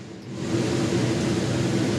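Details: Jayflight SLX 237RBS travel trailer roof AC, set from the wall thermostat with fan on low: fan spools up over half a second into a steady, even whoosh with a low hum; normal running.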